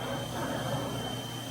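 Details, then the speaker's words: Old Fadal CNC mill, sat unused for years, axes jogged on first power-up: quiet, even servo hum with steady high tone during axis movement, no grinding, clicking or knocking; drives run nice and smooth. "Let's actually jog the axis around. You want to jog here. Oh, yeah. That sounds smooth."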